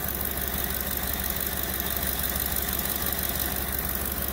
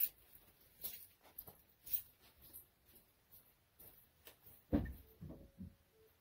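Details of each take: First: 2010 Ford F-150 King Ranch with the 5.4 V8 at idle, right after replacing a cracked, ticking exhaust manifold and tightening the Y-pipe: a steady, even low rumble with no ticking or puffing; normal idle. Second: 2010 Ford F150 5.4 with a cracked exhaust manifold, cracks visible top and likely bottom; it has had repeated manifold replacements. Cold start catches into idle with a quick, even ticking puff on the exhaust. Exhaust manifold leak that fades after about 5 minutes of warm-up.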